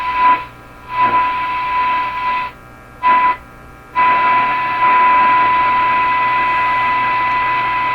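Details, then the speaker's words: Canadian Crosley 12B radio, initial checkout with signal generator near 8 MHz on shortwave: steady test tone cutting out and returning in irregular bursts; intermittent shortwave reception suspected from tuning capacitor plates intermeshing or shaft problem; hum audible. "So clearly the problem with the tuning, the intermittent problem, the plates intermeshing or the rounding shaft thing or whatever it is really throwing this radio for a loop on shortwave."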